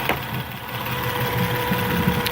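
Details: 2010 Acura TL base model at idle: steady thin high-pitched whine above the engine note from the engine bay; source not yet identified.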